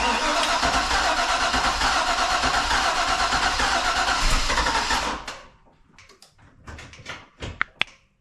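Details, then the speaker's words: 2005 Chevy Corvette V8 first start after head gasket replacement with LS9 gaskets, head studs and headers: catches and settles into a strong, even idle for five seconds; normal start and idle. "oh all right guys the car started without any major issue"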